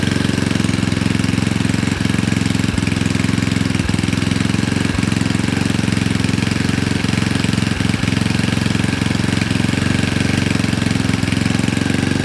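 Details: Honda Ruckus with a freshly built GY6 171cc engine, first start on assembly lube, idle adjusted: loud, steady, low drone with a few scattered clicks and no rhythmic knock; normal idle.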